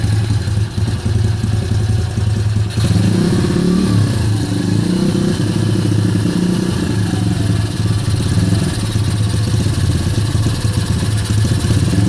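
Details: Kayo YX140 E Klassic single-cylinder engine: throttle held steady in one position, yet revs swing up and down with occasional sneezes, hunting idle and misfire; cause not confirmed.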